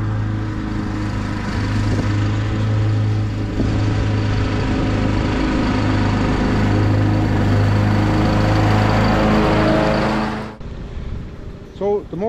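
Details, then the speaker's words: Husqvarna YTH21K42 ride-on mower after fitting a shorter 100-inch deck belt (old 101.4-inch one kept coming off): steady, even drone with blades turning, no slipping or squealing, ending in a brief wind-down; running healthy. "working good a the blades are on good and tight and that belt hasn't come off once and I started to stop the blades a couple of times so with no issues so I think the shorter belt is the answer"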